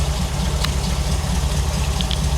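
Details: 1975 Ford Bronco being restored, after sitting 20+ years: even, steady low idle with smooth rumble, no ticking or knocking. Holds 50 psi oil pressure; normal idle.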